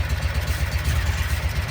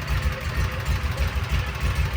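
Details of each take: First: 2012 Kawasaki Mule 4010, liquid-cooled EFI V-twin, down on power: uneven, lumpy low beat with a stumble every few pulses; rear cylinder suddenly stopped firing, confirmed by water spray test, caused by a broken spark plug, fixed by replacing it. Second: 2012 Kawasaki Mule 4010, liquid-cooled V-twin, 250 hours, after replacing a broken spark plug on a dead cylinder that had loaded up with fuel: steady, even idle, clean rise when revved to the floor, smooth return; both cylinders firing normally.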